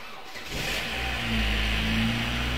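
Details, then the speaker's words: Opel Astra G 1998 with the 1.6 16V X16XEL engine, started after replacing the timing belt kit, water pump and crankshaft seal: it catches at once and settles into a steady, even hum with no ticking or rattles, a clean, healthy start. "odpalamy silnik i oczywiście oczekujemy, aż osiągnie temperaturę roboczą, włączy się wentylator chłodnicy,"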